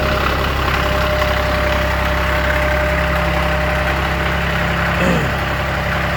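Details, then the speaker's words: 2015 Kioti CS2410 tractor with Subaru diesel idling after a cold start around 57 degrees, following a hard-starting problem with the cell light, blamed on a bad relay: steady, even idle with smooth low thrum, no misses or knocks; healthy. "Cranking up. Sounds good to me."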